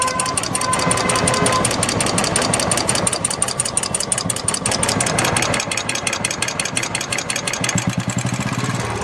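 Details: Royal Enfield Classic 350 single-cylinder at idle: sharp, steady tik-tik ticking from the hydraulic tappets.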